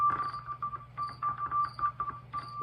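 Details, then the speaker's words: Hammond organ with ratcheting drawbars: a steady note keeps cutting out in brief gaps between bus bars as the drawbar slides; contact dropout, likely damaged resistance wire under the bridging contact. "but really it's not what you want as a player this is why I hate ratcheting draw bars you do the same thing you got little dropouts between every bus bar on the inside there"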